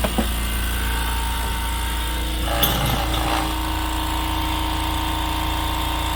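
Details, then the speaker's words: California Air Tools 6310 ultra quiet air compressor: soft steady hum with a faint even tone and no knocks or rattles, like a fridge compressor; normal running. "sounds like an industrial compressor on a fridge it doesn't sound like a compressor at all so it's pretty cool"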